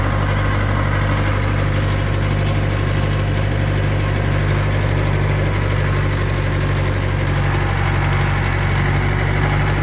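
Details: Old tracked loader diesel idling after start-up and being given some fuel: deep, steady idle with an even low beat and no knocks or misses; healthy idle.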